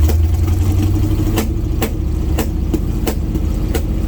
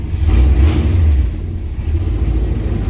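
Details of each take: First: 1980 GMC C35 truck, off road since 2007, during test drive: rough running with sharp irregular pops about every half second over the rumble; misfire, possibly from incorrect ignition timing. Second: 1980 GMC C35 truck, off road since 2007: deep V8 rumble revs up and settles smoothly with no pops or misses; clean even run.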